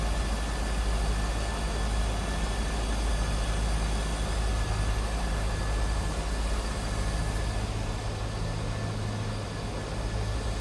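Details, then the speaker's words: 2001 Chevrolet Corvette Convertible, LS1 5.7 L V8: deep smooth burble with a steady even beat and no knocks or ticks; a healthy idle. "Sounds good. Looks good underneath there."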